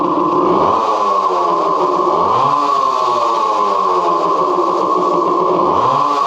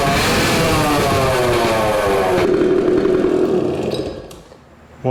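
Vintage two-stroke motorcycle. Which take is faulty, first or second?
second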